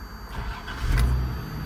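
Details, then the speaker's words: 1995 Toyota 4Runner SR5 V6 4x4, 5-speed manual, 250,528 miles, new belts, hoses and vacuum lines: brief crank, catches cleanly within a second and settles into a steady low idle; normal start. "So I am going to start the motor so you all can hear it start from the in and outside."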